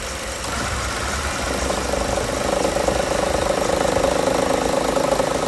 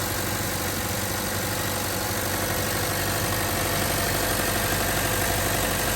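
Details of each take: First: 2013 Chevrolet Cruze at steady idle with the AC on: a light, fast rattle of about three per second rides over the idle, not there with AC off. The belt tensioner is suspected and is being replaced. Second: 2013 Chevrolet Cruze after replacing the suspected original belt tensioner, AC turned on: steady even idle, no previous loud ticking from belt area; accessory drive sounds healthy.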